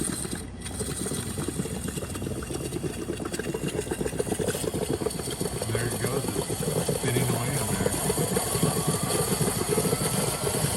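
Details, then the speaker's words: DeLonghi PrimaDonna after full service, hot chocolate function at high density, 2 cups: constant steam hiss with a quick, light churning pulse that gradually builds as the steam-driven whisk turns freely and evenly; normal agitation. "You can hear it moving. You see the steam coming out of the top. The steam is what's rotating the mechanism."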